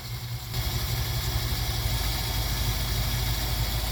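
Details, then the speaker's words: Jeep CJ-7 with an AMC 304 V8 and a mild cam, base timing confirmed at 10 degrees, vacuum advance reconnected to manifold vacuum: a low, steady idle picks up slightly, then holds an even, smooth beat with no misses. A healthy idle, smoothed out. "Oh yeah, smoothed her right out. That cam likes to rev."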